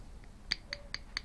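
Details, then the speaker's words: Lexus RX300 steering column knock, column rocked by hand: light, sharp clicks four or five times a second; a worn bushing inside the universal joint cross lets the shaft move, causing the knock. "Добрый день я нашл ещё один одну причину стука в наших автомобилях вот здесь в крестовин на соединении внутри есть втулка которая разбивается и появляется вот такая вот такое вот движение"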